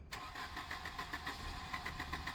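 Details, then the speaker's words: 1988 Volvo 240 with LH2.4 injection during rebuild, about 15°C, previously started and revved then cut out, an injector removed: steady rhythmic cranking about six beats a second with faint brief catch; cranks but won't start. "So, I'm going to crank it over and see if we can get it started again. It started a few times and revved quite fine and then cuts out. So, fingers crossed. Nothing. Not even a slight tickle."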